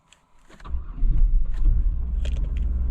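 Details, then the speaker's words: 2000 Buick Park Avenue starting in freezing cold after fitting a new ignition control module harness plug: brief crank, then it catches within half a second and settles into a steady low rumble; quick, clean normal start after the repair. "oh my gosh it it started and it started fast"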